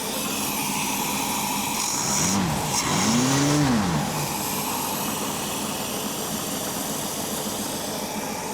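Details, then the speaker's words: 1967 Ford Mustang V8 with Holley Sniper 1100 EFI, after the faulty injector was found, fuel pressure about 60–65: steady, even idle with no misses or stumbles, AFR around 14.2; engine running healthy. "Oh, I love to hear that engine running. Oh man, listen to her. Yes. Okay. She's running, I know y'all can't see, but her AFR is at 14.2-ish and going around there."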